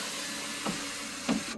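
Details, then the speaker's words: 2004 Cadillac DeVille, 97,000 miles: smooth, steady electric motor whir that stops cleanly at end of travel as the sunroof opens, closes and vents; sunroof motor working normally. "center console and sunroof with shade visor which works the roof opens"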